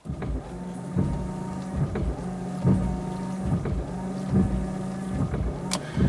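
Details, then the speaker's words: Oldsmobile Silhouette, final repair check: the washer pump hum cuts in and out about every 1.7 seconds, pulsing normally as designed, strongly enough to shake the car. "interesting it kind of pulses the washer so it doesn't overheat the whiter the washer motor or something oh it's shaking the whole car"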